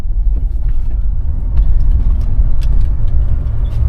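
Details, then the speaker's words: 1979 Cadillac Coupe DeVille cruising at about 20–25 mph, windows up, in-cabin: low steady road and engine rumble, no window, door or dash rattles; weather seals good, relatively quiet cabin. "Nothing rattling in the doors. Dash sounds good. So it's actually relatively quiet in here too."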